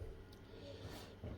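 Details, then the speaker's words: Whirlpool dishwasher right after drain pump replacement, running quick 45 program (P7): soft steady low purr at even pitch inside the machine; new drain pump spinning smoothly as it should. "entend la pompe qu'on vient de changer, hein, qui est là. On l'entend ronronner là à l'intérieur, c'est elle qui tourne."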